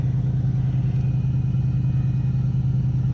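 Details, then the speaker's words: 2001 Cadillac DeVille, no check engine codes, started up: steady raised idle with a faint constant hum, secondary air pump blowing air into the intake; RPM drops once the pump shuts off; normal high idle. "once my RPMs go down the RPMs will go down after the air system shuts off so I don't know if you can hear it running but the air system is running throwing air into the uh intake and once that turns off then the RPMs go way down"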